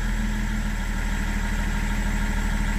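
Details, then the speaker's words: BMW 330d E46 diesel, 400,000 km, idling during coolant refill and bleeding: steady, even low diesel clatter with a regular pulse, no knocks or misses; idle very stable, as a well-maintained engine should be. "C'est bien stable, tant que c'est bien entretenu."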